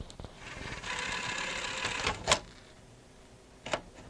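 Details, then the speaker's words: Magnavox ZV427MG9A (Funai) DVD recorder after bad capacitor replacement and cleaning, microphone close to the DVD mechanism: soft whirring spin-up and reading, then two short chirps a second apart; normal disc loading and reading. "so those are the sounds it should make when it's going to play correctly especially the two little beeps you hear out of it"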